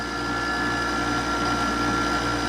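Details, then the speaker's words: Frigidaire window air conditioner running, fan bearings also noisy, still not cooling: steady hum with thin high whine over the compressor, rough and tired; compressor likely failing. "that compressor is starting to go to the way it sounds and it's still not cold there"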